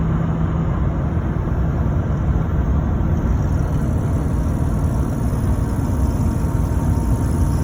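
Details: LBZ Duramax diesel rumbling evenly with a faint, high, steady turbo whistle on top; turbocharger whine, no fault evident beyond that.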